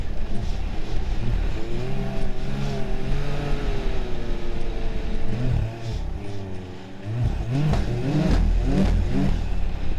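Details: 2023 Ski-Doo Grand Touring Limited snowmobile ridden harder on trail: engine pulls up and down through the revs with clean rising and falling tone, no rattles or misfires; healthy under load.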